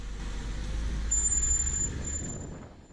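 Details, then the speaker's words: Car brake squeal: a thin, steady, very high-pitched squeal over the low rumble of a slowing car. It may occur only when pressing the brake pedal or continuously, and signals that the brakes need attention. "so if your brakes are making noise it tells you that something in your brakes may need some attention now you might only hear the brake noise as you step on the brake pedal but sometimes it could be continuous"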